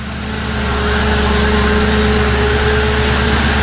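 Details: 1957 Ford Ranch Wagon project that wouldn't run until the tripped fuel pump inertia switch was reset. Smooth, steady idle with a faint hum; normal idle.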